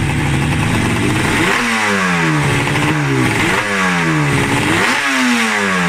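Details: RD350F1 two-stroke, 31K, left in a garden for decades, running for the first time in perhaps 20–30 years: it snaps up through four or five quick throttle blips and drops back each time, revving freely with a crisp ring-ding rasp.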